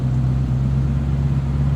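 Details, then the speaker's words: 1965 Ford Mustang convertible 289 V8 warming up from cold, heard at the exhaust: even low burble, no misses, ticks or rattles; normal idle. "Sounds as it should."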